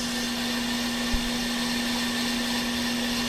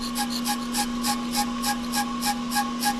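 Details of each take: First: Off-the-car brake lathe machining a hubless brake rotor on rotor feed at a slow feed setting of two to three for a finish cut: steady mid-pitched hum with even hiss, no chatter or squeal; normal cutting. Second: Hubless brake rotor turning on an off-the-car brake lathe after the cutter is zeroed against it, giving a steady ringing tone with a rasping scrape about three times a second; rotor chatter, dampener to be fitted in hope of stopping it.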